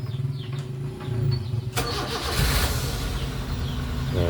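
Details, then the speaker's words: Daihatsu Gran Max engine just refitted after valve clearance adjustment, not yet run in, fast idle. Short crank, catches at once, smooth even idle with no valve ticking. Before the adjustment the valves and camshaft knocked loudly. "Jadi suaranya halus ya, suaranya halus. Ee apa namanya? Tidak teruk."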